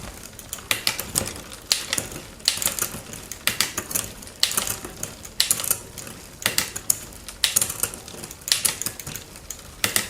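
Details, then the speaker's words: Raleigh Detour 2 bicycle after derailleur hanger and shifter replaced: crisp quick clicks in tidy bursts as the chain steps across cogs, no grinding or hesitation; normal indexed shifting. "Seriously, that's beautiful. Oh my gosh."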